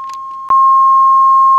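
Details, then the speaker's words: 1965 Admiral AM/FM stereo tuner-amp, recapped, on about six hours: steady 1 kHz test tone with faint hiss in one channel, and the right channel's output has dropped to half the left. "you can hear all the noise in this channel of course it stops I have them adjusted for one volt the set has been on for about six hours"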